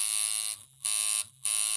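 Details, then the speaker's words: Reworked Temu coil tattoo machine running 7.6 volts, 106 Hz, 40% duty: steady, high, even buzz that cuts out twice and restarts cleanly; runs smoothly and reliably. "so running 7.6 volts 106 Hertz or CPS which means cycles per second 40% Duty"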